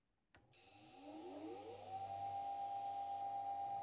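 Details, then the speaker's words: Keithley 619 two-channel electrometer after replacing a failed voltage regulator: at switch-on a loud steady high-pitched buzzer beep lasting about three seconds over the very loud fan spooling up to a steady hum; normal power-on. "jeez if you compare the volume of that Extremely Loud fan and the buzzer you get an idea how awful that buzzer is"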